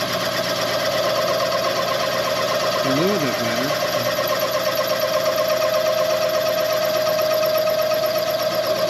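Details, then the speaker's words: Machining the rear main seal bore on a Chevy 400 block for line honing, after the cutter was resharpened for more rake to stop chatter: a steady, even cutting tone without judder. Smooth cut, no chatter. "So, the tool didn't have enough uh rake or whatever you call it the first time. That's why it was chattering. So, we sharpened it a bit."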